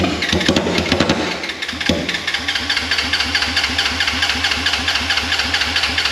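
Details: Wrecked 2016 Polaris RZR 900 S: very loud unmuffled engine runs with uneven pulsing about twice a second, stumbling; owner blames injectors, needing professional cleaning or replacement.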